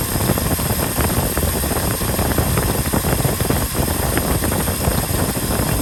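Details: 1967 Ford F-350 Custom truck, sat for years, restarted on its old uncleaned points; steady, even low V8 rumble, smooth healthy idle with no misses or knocks; carburetor accelerator pump diaphragm leaking badly.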